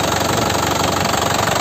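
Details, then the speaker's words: 2012 Isuzu Panther LS turbo manual diesel, about 70,000 km, rarely used, factory-original sealed injection pump; steady even idle clatter with crisp regular beat and no odd knocks; healthy idle. "Jadi standar pabrik kayak gini suaranya, masih kempel gitu ya, masih bulat suaranya, masih kempel dan masih bulat, enak gitu ya."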